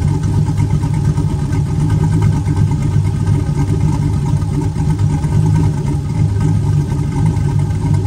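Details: Turbo 4.8 V8 with Elgin 1838P sloppy stage 1 Trick Flow 216/220 cam, at full running temperature: deep, steady lumpy idle with a soft exhaust chop and no knocks or rattles; healthy cammed idle, a separate belt chirp noted.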